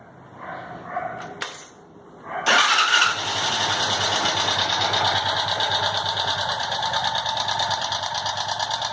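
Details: Motorcycle engine with a strange noise: catches after a few seconds, then runs with a quick, fairly regular ticking about three per second; no smoke, valves adjusted and all settings done, yet the abnormal noise persists, source unknown.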